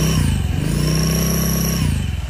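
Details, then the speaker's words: Scooter fitted with a hard-knurled clutch bell, shown for comparison: a thin, steady, loud high whistle over the low engine drone. This is the typical sound of a knurled clutch bell singing against the shoes. "guys terdengariulannya gede banget ya ini juga sama guys yang udah di kartel"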